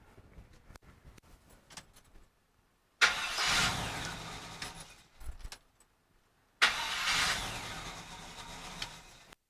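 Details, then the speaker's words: 1974 Chevy C10 with a hot-start problem, after fitting a newer GM factory gear-reduction starter with a heat shield and new battery cables: two crisp, even cranking bursts with a steady whir and no grinding; healthy starter. "sounds nice let's hope it recorded all right"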